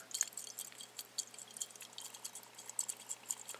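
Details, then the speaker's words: Briggs and Stratton carburetor float from a leaking go-kart carburetor, removed and shaken by hand: faint liquid sloshing and splashes because the float is full of gasoline; the float is leaking, suspected hole spotted but unconfirmed. "so I took the flow the float out of the carburetor and basically examined it and just shook it a little bit and I could hear why it's leaking"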